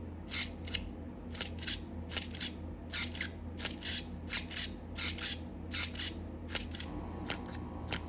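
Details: Canon A-series 35mm film camera: short, high, squeaky cough at each shutter release, in pairs roughly once a second; the well-known A-series shutter squeak, cause unknown.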